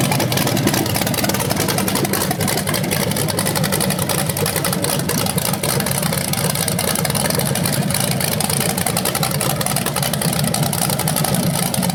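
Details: BluePrint 396 big-block crate engine for a 1970 Camaro SS, first run outside after oil priming and a timing check: strong, steady lumpy idle with no ticking, knocking or misfire. It sounds healthy with no leaks.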